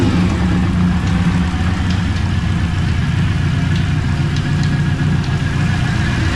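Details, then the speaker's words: TVR Cerbera V8 with rough running, coils and plugs not yet replaced: steady idle with a light, loose rattle ticking up front; owner suspects the air-con compressor moving a little, unconfirmed. "as you can hear there's um something rattling up the front looks like the airon compressor is moving a little bit"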